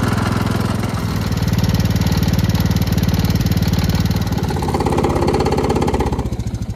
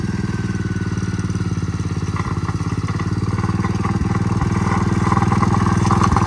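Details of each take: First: Gravely Promaster 50 mower after sitting two years, plug reconnected, restarted out of gear: steady low thumping beat at an even idle with no misses or knocks; engine runs well, though the rotted mower deck vibrates badly. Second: Gravely Promaster 50 tractor, sitting two years, after filing the points and giving it a shot of fluid: single-cylinder thump at a slightly uneven beat that picks up; stalled after about 150 feet from a loose clip inside the spark plug wire boot.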